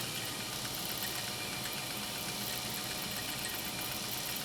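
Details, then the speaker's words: Japanese-clone 1.0 amp "Midwest" vintage vibrating-shuttle sewing machine winding a bobbin after servicing. Soft, steady whir with an even hum and no knock or rattle; whisper quiet. Normal running. "just listen to this machine run. It is so ridiculously whisper quiet now."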